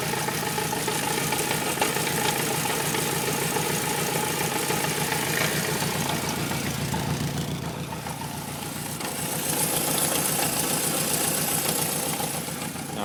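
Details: Honda CB750A motorcycle at cold start idle: uneven knocking pulse, three to four beats a second, that fades when warm but stays faint at low idle; likely due to unsynchronized carburetors.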